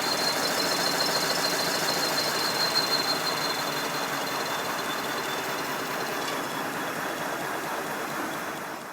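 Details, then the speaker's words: Simplex steam locomotive with the blast nozzle refitted, running at speed: high, steady whistling squeal over the rushing exhaust. Confirmed acoustic resonance at the blast nozzle, not a mechanical squeak. "I've refitted the blast nozzle, have a listen now. Yes, it's definitely an acoustic problem."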